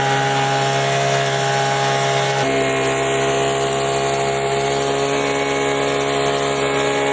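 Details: Leaf blower running normally after refuelling an empty tank: constant high two-stroke drone at steady speed, no surging or misfiring.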